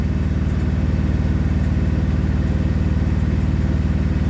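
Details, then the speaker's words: Western Express truck APU diesel that had been sitting and keeps tripping off: strong low regular thump about four beats a second, steady; idling normally for now, owner expects it to trip off sooner or later. "see now it's acting normal it's going to trip off sooner or"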